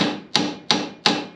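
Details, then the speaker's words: 1966 Chevy Nova rear axle refresh, axle bearing being driven in with an installer tool. Four hard hammer blows about three a second, each with a bright metallic ring as the bearing seats; bearing fully seated. "sounds like a more metallic sound that's because the bearing has actually reached a point to where it's supposed to be"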